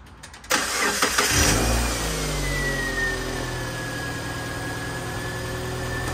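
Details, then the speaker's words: 2007 Subaru Impreza that wouldn't start, after checking crank and cam sensors and replacing the ignition coil: quick crank, clean catch, brief flare, then smooth steady idle with faint whine; no misfire. "well hopefully that's it sounds good well hopefully that's it"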